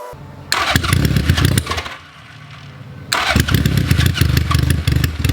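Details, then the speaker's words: Honda Goldwing GL1100 after starter clutch rebuild that cured a horrible clanking on cranking, starter engages and engine fires on all cylinders, settling into a steady even run; clean healthy start. "so let's start it up and more importantly let's see if it starts up and if our starter clutch pair actually worked"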